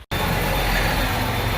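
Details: Farm diesel tractor after fixing an air leak through an open fuel filter drain and refilling the filter: it catches straight away and settles into a steady, even idle clatter with no stumbling; a healthy start.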